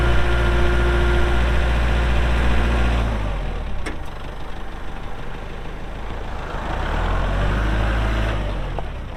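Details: 2023 Kubota L4701 4WD tractor, 47 HP gear-drive diesel, only 98 hours: deep, steady diesel rumble for about three seconds, then drops away to quieter ambient noise; normal healthy running.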